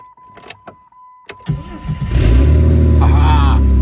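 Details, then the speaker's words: 2003 Jeep Grand Cherokee WJ with the 4.0L straight-six, started after a fuel filter replacement (old fuel was brown and dirty): a few clicks, then a steady, even, rather loud idle with the exhaust blowing from a damaged muffler; otherwise runs healthy. "Yeah. She fired up. She sounds good. Well, minus the muffler."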